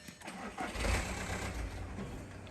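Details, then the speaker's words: Skoda Laura with a replacement battery connected, radiator fan running at ignition on: engine cranks and catches with a rough, uneven rumble that never settles to idle; starts and immediately stalls, cause not yet found. "இப்போ வண்டி என்ன problem சொல்கிறாங்க அப்படின்னா, வண்டி start ஆகி உடனே of ஆகிடுது."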